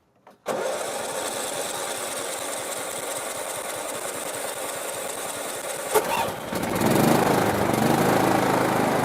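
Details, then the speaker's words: Riding lawn mower after carburetor cleaned and rebuilt with new gaskets and seals (previously wouldn't idle, backfired), empty fuel bowl: even cranking about six seconds, then catches and settles into steady small-engine idle, no fuel leaking; normal start and idle. "take a look there's no fuel leaking it's idling okay before it wouldn't idle it would just"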